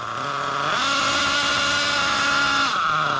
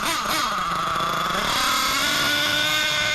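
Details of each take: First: Losi LST XXL nitro truck, low-speed needle turned a quarter turn out, not yet fully warm: high buzzing idle with fairly steady tone and slight waver; mixture now sounds clean. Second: Losi LST XXL nitro RC truck engine revving up and down with a burbling, blubbery note that never cleans out: still super rich after needle adjustment; owner suspects the needle set too rich or the idle gap.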